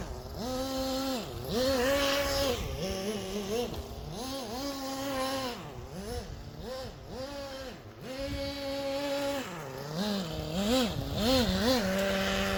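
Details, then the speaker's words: Original HPI Nitro MT nitro RC truck, first run in about 20 years with untouched carburetor settings; high buzzy engine revving in bursts, slightly soft and burbly at the top; mixture a little rich. "so without touching any of the settings it's a little rich but on a car this old I would rather run it a little rich and have some protection there"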